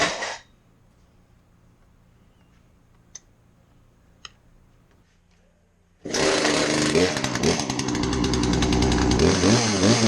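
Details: Poulan chainsaw, roughly 10 to 20 years old, after its carbon-plugged muffler was cleaned: after a quiet pause it fires and revs cleanly with a steady, crisp buzz, no stumbling or bogging; runs healthy.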